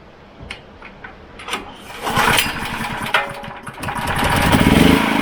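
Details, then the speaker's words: Wolf 5kVA petrol generator, Honda GX390 clone, after service kit repairs, new part fitted, air filter cleaned and reinstalled; faint clicks then catches and settles to steady even beat, no misfiring. Normal running, runs sweet. "Put the air filter assembly on, gave the air filter a clean, or gave the whole thing a bit of a superficial clean really. So yeah, now it runs pretty sweet, so I'll just show you."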